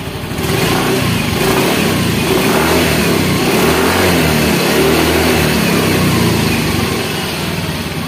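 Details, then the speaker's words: Yamaha Mio M3 / X-Ride Blue Core scooter, after idle air control reset, idle set around 1500–1600 rpm: even, steady idle and smooth revving without misses or knocks; normal idle and rev. "Nah ini agak lumayan enak ya rpm-nya kita taruh di 16600 atau 1500 lah00 itu sudah kecil [Musik] ya enak ternyata bosku Ya"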